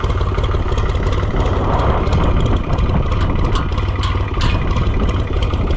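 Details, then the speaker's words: Fiat tractor in strong wind: deep, steady diesel chug with an even beat and no misses or knocks; fires right up and idles smoothly. "Another sweetheart. Fires right up."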